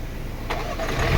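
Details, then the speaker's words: Mini Cooper Countryman that cranked silently and would not start: the faulty starter motor was replaced, and now it cranks briefly, catches immediately and settles into a smooth, even idle. "ครับติดเลยครับโหจบเลยไดสตาร์ทตัวเดียวนี่นะไดสตาร์ทตัวเดียวนะครับเครื่องติดเลย"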